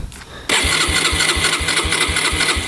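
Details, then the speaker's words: 2011 Yamaha Raptor 125 quad that had been bogging, underpowered and not idling: the starter cranks steadily at about four compressions per second but it never fires, even with choke and throttle tried; it seems not to be getting fuel, cause unconfirmed. "You crank it over and it doesn't do anything here. Doesn't even pump over to me. It seems like it's not getting fuel."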